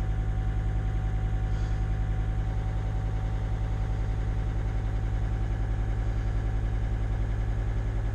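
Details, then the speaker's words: T1N Mercedes Sprinter diesel van that sat over a year and was hard to rotate, now started and idling without charging: steady, even low diesel chug about 2.5 beats a second, no knocks or misses; normal, purring healthy idle. "Isn't it just working beautifully? That's the way a diesel should sound like. Oh, it's just purring."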